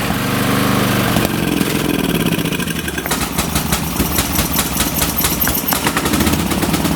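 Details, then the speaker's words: Late-1980s/1990s lawn tractor, on choke after the safety switch was fixed: loud uneven churning, then rapid spluttering chuffs without settling to idle; hard starting and rough running, carb flooding gas, needle valve and seat suspected. "choke it up again and this thing looks like it's flooding gas in the carb so it looks like I'll have to replace the needle valve in seat"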